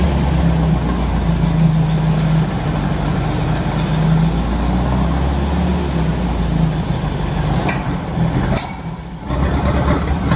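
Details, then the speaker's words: 1964 VW Beetle air-cooled flat-four after new spark plugs and fuel filter relocation, with a backfire being diagnosed: it starts into a lumpy, stumbling idle, the oil pressure light goes out after start, and the owner suspects it is not running on all four cylinders. "but it really doesn't sound happy um I'm not even sure if it's running on all four cylinders because it sounds quite lumpy"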